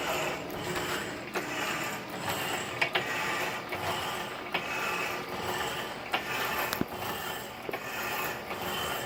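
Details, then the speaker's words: 1916 power hacksaw driven by a 1915 1/4hp Century RS motor: steady rasping cut, running smooth at just over 60 strokes a minute, with a light click about once a second from the black bushing at the back. "You can see it's running pretty smooth. Goes quite a bit faster. It's got a ton of power."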